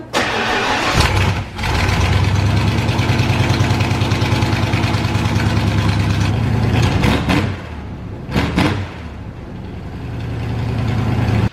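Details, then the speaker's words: Vehicle with full force fuel system, CDI box and EFI: brief crank, catches straight away and settles to a steady idle with a couple of blips; normal start. "get the phytek fuel system an EFI system going and then you turn the key and start it and it starts right up"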